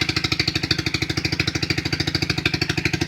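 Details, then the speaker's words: 2008 Highbird 200cc four-wheeler just after cold start, choke fully off: quick, even single-cylinder putt-putt about ten beats a second, holding steady; clean, healthy idle. "It's completely off the choke. Idling just fine."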